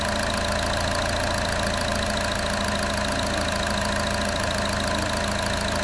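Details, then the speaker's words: 2014 Chevy Cruze 1.4L turbo, replacement engine at first start: quick start and fuel pressure, smooth even idle with no knocks or misses, sounds like a 1,600-mile engine apart from a belt squeak expected to fade as it warms. Normal idle. "It sounds like an engine with 1,600 miles on it, Yeah, except for the squeaky belt."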